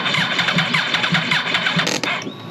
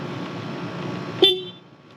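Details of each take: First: Wrecked 2009 Yamaha R1 being rebuilt, in neutral: fast even starter cranking about five beats a second for two seconds, no firing; cranks but won't start, owner unsure why, wonders about battery. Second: Wrecked 2009 Yamaha R1 being rebuilt: quiet background hum, then one short clear high toot at full strength cutting off cleanly; horn works.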